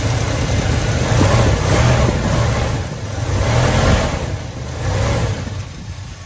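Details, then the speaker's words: 1972 Ford F-250 4x4 highboy V8, cold: revved in uneven surges, the deep rumble sags between blips and fades toward dying; it sometimes bogs and shuts off if given gas before warming up, then needs restarting. "starts right up usually but sometimes it takes a couple times and I suggest not pushing on the gas until it warms up a little bit but sometimes it will shut off just bog down and you got to restart it"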